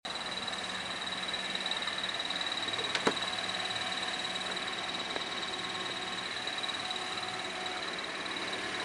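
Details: Worn clutch throwout bearing on a 2010 Toyota Corolla, since replaced: thin, steady high chirp over a quiet idle, heard only with the clutch pedal fully released and the car in neutral.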